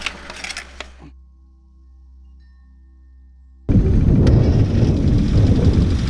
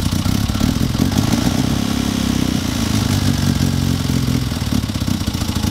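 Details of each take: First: Classic Mini that ran hesitantly, after a quick tune, with a possibly low battery: after long cranking the engine catches and settles into an even, steady run with no misses or knocks, running much better. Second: Classic Mini running hesitantly: uneven, lumpy idle with a fast light tapping/knocking clatter on top, consistent with excessive valve clearance. Ignition timing also suspected.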